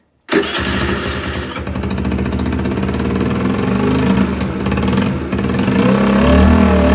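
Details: Longjia 50cc two-stroke scooter after carb cleaning and electrical repair, no battery, run off a 12 V jump starter with fuel and spark confirmed: catches quickly, then a buzzy beat that climbs cleanly with each throttle blip; runs and revs normally.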